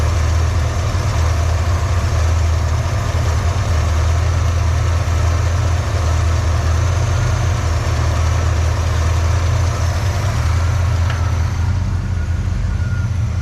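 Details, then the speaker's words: 1986 Pontiac Firebird Trans Am after fuel starvation diagnosis: deep, even idle holding a steady beat without hunting or surging; suspected plugged tank strainer sock had been restricting fuel supply. "bit I don't know what do you guys think it's pretty good sounds good"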